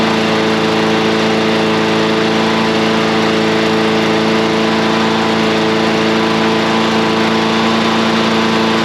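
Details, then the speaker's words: Briggs and Stratton small engine after a repeat carburetor cleaning: a steady full-speed drone with constant pitch and no surging or hunting. It no longer runs slow and now runs normally. "Now it doesn't sound like it's running slow at all."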